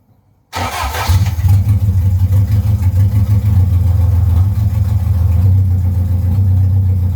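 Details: Vauxhall Firenza HPF with Lotus engine conversion, first start-up: engine catches instantly and settles into a strong, steady low beat with no knocks or rattles; normal start and idle.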